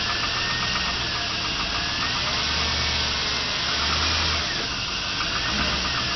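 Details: A 1999 GMC Sierra SLE pickup V8 with 175,400 miles, cold-started at about 40°F after sitting two days, knocks hollowly under a hissy roar when put in drive with increasing throttle; piston slap that diminishes after under a minute of idle.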